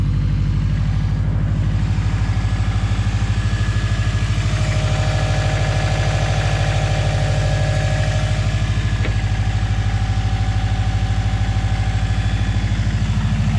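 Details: Subaru after water pump and timing belt replacement (pump was leaking antifreeze, bolt torqued to an uncertain 130 ft-lb), first start: even idle pulse about three beats a second, no tick, knock or squeal; normal idle.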